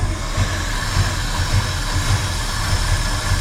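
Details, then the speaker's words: 1968 Ford F100 Ranger V8 long abandoned, plug wires pulled one by one: low uneven idle with lumpy pulse every half second, running on 3 cylinders yet smoother; carburetor judged good, misfire cause unconfirmed. "It runs smoother. Don't it? It's running on 3 cylinders."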